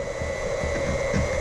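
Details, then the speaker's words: Wayne PC4 1/2 HP pump on variable speed, turned down, filling snowmelt loops with propylene glycol as the last loop valve is closed: steady whine wavers and changes pitch as flow stops; the pump is deadheading. "pitch change. If it's on high, you can hear it change. It's basically deadheading."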